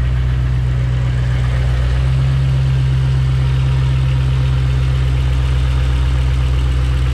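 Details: Ford Mustang 4.6L V8 with a faulty automatic transmission that engages gears only vaguely, owner suspecting low transmission fluid: a deep, steady V8 idle burble with no knocks or ticks. The engine idle is healthy.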